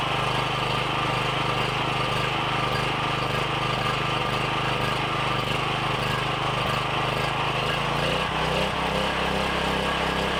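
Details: Briggs & Stratton 7,350 W surge / 5,250 W generator after replacement carb, custom air filter and tune-up, throttle roughly set with no load: steady, even hum settling to a slightly different note near the end, no surging or misfires; normal running.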